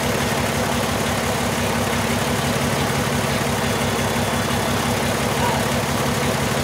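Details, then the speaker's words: 2002 VW Jetta VR6, still misfiring after new injectors, code P0201 cylinder 1 injector circuit; uneven stumbling idle from dead cylinder. Control wire shows 3.5 V bias, 12 V supply present, so the new cylinder 1 injector is bad (open). "if we have this 12 volts here that means that Tony got a bad injector that's exactly what he has"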